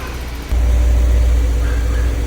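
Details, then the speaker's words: 1991 BMW E30 318is M42, about 200,000 miles, just after timing chain guide replacement: steady, deep, slow idle rumble, no misses, lower than normal; owner attributes low idle to a gas tank fuel leak. "I think the idle's kind of low because I do have a gas leak um that's coming from the gas tank."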